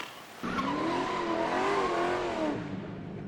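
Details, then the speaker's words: Hyundai Santa Fe II braking, with a wavering high-frequency squeal/grinding over a low rumble. The car also has vibration through the pedal when braking, and the discs and pads are being checked for warping. The cause is unconfirmed. "эту чушь значит высокочастотный скрежет что-то типа скрипа"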